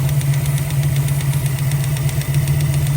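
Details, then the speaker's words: 1965 Mustang 289 V8 at idle: fast, even light ticking over the steady rumble, clearly separate from it; valve train tick from loose rockers, valves needing lash adjustment. "All right, we finally got this thing idling. And listening to it, I really do think it is a valve train."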